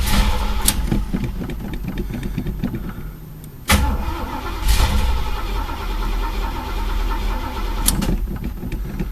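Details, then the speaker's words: Chevy El Camino sat about a month and a half: repeated steady starter cranking bursts without catching; no start because no gas reaching the engine, fuel filter bone-dry, tank empty though the broken gas gauge read full. "damn well here's the reason no gas getting up in the car nothing coming out of fuel filter I check the other side nope bone-dry"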